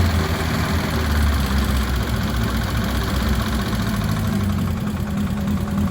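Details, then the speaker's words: Ford Cortina turbo build (Pinto engine) on first runs: steady lumpy idle with a thin high whistle from a leaking inlet manifold gasket, confirmed when brake cleaner sprayed there made the engine rev up. "the whistling you could hear um which well you clearly hear it um it was actually coming from the inlet manifold the gasket there was leaking"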